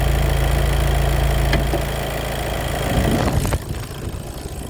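Engine idling with a low rough rattle around four per second that fades midway; sounds like the wet dual-clutch pack chattering.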